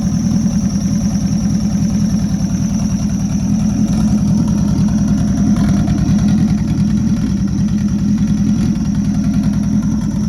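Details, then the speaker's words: Rebuilt Nissan Juke project, first runs after the build: a smooth, even warm-up idle with a steady low beat and no knocks or misses, running on its own. The air-fuel readout was not displaying, and a small oil leak was noted. "it's running on its own that's exciting engine's warming up"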